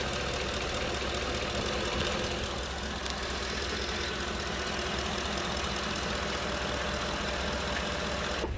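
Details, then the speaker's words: 2009 Ford F150, 5.4L V8, 250k miles, pre-purchase inspection at idle: no rattles, but a slightly shaky idle with a faint uneven patter of two or three beats a second; a mild miss, cause unknown. "Now the engine doesn't actually sound that bad. I'm not hearing no rattles or anything out of the ordinary, but it is a little shaky."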